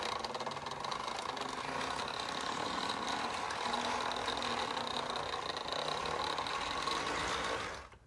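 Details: 1955 Lionel 736 Berkshire (2-8-4) O-gauge electric steam locomotive, bought not running and torn down and re-lubed, runs on a short track: smooth, even electric whirr with steady buzzing gear mesh and light track clatter; normal, healthy running.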